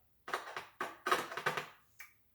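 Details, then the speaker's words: Six sharp clicks over about two seconds as the lead of a car speaker is tapped against the battery with the negative lead connected; the cone bumps each time, so the voice coil is fine. "and as you can see and here the speaker is actually bumping so this shows that this speaker the voice coil is fine on it"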